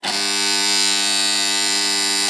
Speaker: शेतकरी मित्रांनो अशाप्रकारे तुमचं स्टार्टर जोरजोरा जर आवाज येत असेल तर काय उपाय करायचा आहे कमेंट मध्ये मी तुम्हाला सांगणार आहे